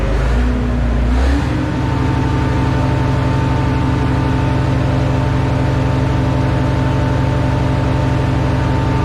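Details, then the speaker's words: Minneapolis Moline A4T 1600 diesel tractor, first start after months of work on steering cylinders and fuel lines: good oil pressure, steady even idle with regular beat, no knocks or misses, no leaks; normal idle. "it sounds good so heck yeah that's a win for today"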